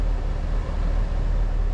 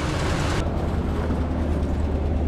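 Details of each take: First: K5 Blazer V8 running after a rev off fast idle, deep steady rumble with even loudness and no knocks, misses or whine; runs smoothly with nice power, though owner notes an exhaust leak tick. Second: Chevy K5 Blazer V8 at cold fast idle, not yet warm: a deep, loping rumble with a faint rapid tick from an exhaust leak; the car has a custom flex pipe.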